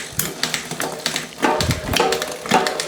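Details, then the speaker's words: Trek 1x hardtail MTB, unserviced 5–6 years, Shimano rear derailleur after service and L-screw adjustment, on the stand: freewheel ticks steadily, then crisp single clicks as the chain steps across sprockets; clean, quiet shifts, working lovely. "Oh, working lovely. Shimano for the win."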